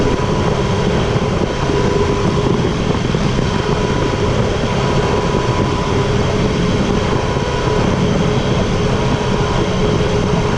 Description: Whining sound Tiger 800 XCx (2015), 4. gear ca. 3.5-4.2k rpm, when gently going on the gas.